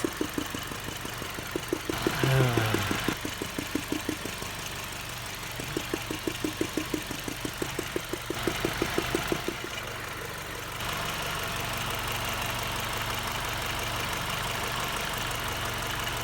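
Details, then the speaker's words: 2005 Ford Focus idling: light ticking for about ten seconds, then a smooth, even idle with no knock once a loose rubber cover on a sensor is popped back on; the knock-like noise stops. "and that's it once you get that back on there the noise stops so i hope this helps some people out"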